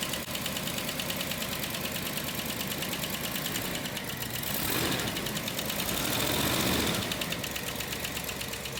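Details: 1961 Rolls-Royce Silver Cloud II six after a distributor rework: advance mechanism cleaned, new points and condenser, timing set, points synchronised. Settles into a fairly even idle with a steady light ticking beat, running much improved.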